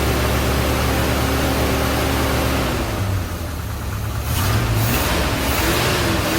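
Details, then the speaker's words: 1977 Chevy C10 Cheyenne 350 V8 with 4-barrel Quadrajet, sat several years, vacuum leak at carburetor gasket: uneven, loping idle that stumbles and catches as revs swing, misfiring and rough; owner suspects the cam, carburetor replacement pending. "well it's looking more and more like a cam but we're going to we got to replace the carburetor anyway so we're going to wait until we replace that carburetor and then we'll go from there"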